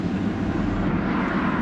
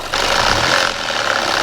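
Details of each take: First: Audi A4 Avant with a new turbo, revved with the AC blower running: smooth rev, no rattle or clatter; the earlier turbo noise is gone. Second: Audi A4 Avant on a drive after turbo work: the turbo noise is gone, but a new steady hissy rush with faint irregular ticking rides over the running engine; cause not yet identified.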